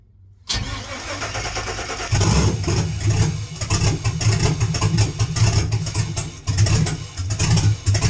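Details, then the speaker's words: Truck with a 4.8 LS, BTR NSR cam, FiTech intake, 799 heads, no exhaust and the factory computer, check-engine light on: it cranks, catches, then surges and sags with lumpy cam chop at zero throttle. Hunting idle from too little fuel at idle. "all right it almost made a fool out of me it did try and run there and you could hear it for a little bit trying to run trying to figure out what's going on you can see it hunting that was wor giving it no gas"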